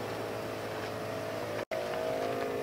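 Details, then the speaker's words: Twin onboard air compressor on a 2012 Jeep Wrangler JK 3.6 gasoline, running as tank pressure rises; shuts off when full, restarts below about 140 PSI. Steady even mid-pitched hum, no knocking or surging: normal running. "once the tank is full the twin air compressor will turn itself off and it turns back on once the pressure drops down less than a 140 PSI approximately"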